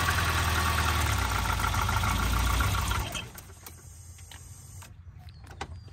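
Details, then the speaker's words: Volvo 940 Turbo with performance coil, bought sight unseen, first start: uneven idle for about three seconds then dies away; idle not set correctly, cause unclear. "okay so first Lots I think this thing that idle isn't set correctly there you go"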